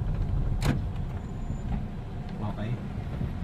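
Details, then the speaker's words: Hyundai Accent front brakes after repair, road test: low road rumble as car slows, no lasting squeal or grinding; the whistling heard on braking is gone, brakes now stop quietly. "Ano? Wala kang naririnig na ano sinisipol sa breakfast? Baka maya-maya to. Wala na to."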